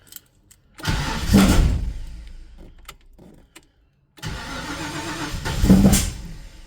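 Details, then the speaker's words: Ford Falcon XD 351 V8, carburettor: two long cranking bursts, starter churns but engine doesn't catch; owner suspects too much fuel given at start, smells flooded; hard start. "It's like a gave it too much fuel. I don't think I need to give any fuel at all at the start."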